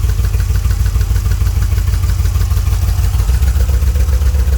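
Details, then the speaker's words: 1981 DeLorean at operating temperature idling steadily with an even low rumble. Idle improved after running more fuel to clear tank varnish; slight hunting, an odd sound and a suspected vacuum leak near the mode switch remain. "the engine idles much better now that I've just ran a bit more gas through it I think I'm finally getting all of the varnish that was in the tank out of the lines and systems yeah definitely running like it's supposed to"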